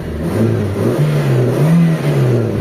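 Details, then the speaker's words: Toyota Corolla GLi big body after its IACV was cleaned: with the A/C switched on, the idle climbs smoothly and holds higher without hunting, showing the idle-up now works. The RPM gauge is broken. "So tumaas yung minor mga bossing. Tumaas yung minor ng makina natin. So ibig sabihin gumagana na yung idle up."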